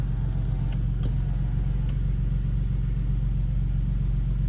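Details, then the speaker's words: Infiniti G37 just after DIY oil change with 5W-30 full synthetic, warmed up: low, even, steady idle with no misses, knocks or ticks; it ran a little rough before the change and the owner hears a smoother idle now. "Start it up. I can already hear the difference, so my car is just running."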